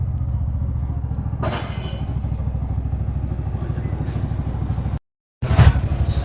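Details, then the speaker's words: Bajaj BS6 single-cylinder after a stepper motor wiring problem, fault code erased with a scanner; even putter holding steady idle without hunting or dying; normal idle. "Problem ಸಾಲು. ಐಡ್ಲಿಂಗ್ದು ಅಷ್ಟಿತ್ತು."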